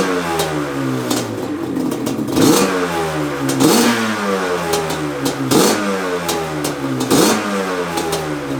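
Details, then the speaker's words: 1997 Yamaha Banshee 350 two-stroke after fixing a cracked, loose carb jet that ran one carb rich; rejetted to 310 mains and 27.5 pilots. Crisp rise and fall through repeated throttle blips, clean pickup, no bogging or misfire; runs healthy. "all right new jets in the carbs push this thing out and start it up let's see i might have to mess with the af screw a little bit but we'll know right now"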